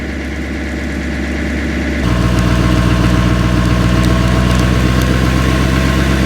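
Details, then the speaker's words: GMC Sierra truck cold-started in snowy weather: a steady idle steps up into high-idle warm-up mode with a slight turbo spool whistle, and it should drop back to normal idle once warm; normal cold high idle. "now it's entering in its high idle mode warming up you hear the turbo spool up just a little bit after it gets up to an appropriate temperature it will come back down to normal idle"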